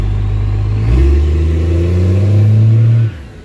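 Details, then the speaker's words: Truck "Otis" doing a burnout under full load with the torque converter locked, its diesel roar climbing and holding strong for about two seconds before dropping off cleanly; engine very healthy and the transmission holds the power. "Watch me get pulled over for that, but I just to show you guys, Otis does have the power to do burnouts. The transmission holds the power. Engine's very, very healthy."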